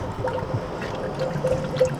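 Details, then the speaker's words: BMW E90 3 Series after a cooling system overhaul to fix coolant leaks, being bled while topped off (about 10–15 minutes): steady irregular bubbling and trickling with small pops; coolant system air-bleeding gurgle. "But yeah, it should be making this like weird gurgling kind of, you should hear it."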